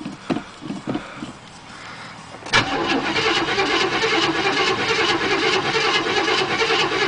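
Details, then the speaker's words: 1975 Chevrolet Chevelle Malibu Classic, 400 small-block V8, cold start after sitting about a month, before an engine overhaul and before a 2.5-inch exhaust: a few cranks, then catches at once into an even, steady idle; normal cold start. "car has been sitting for about a about a month or so fires up like a champ"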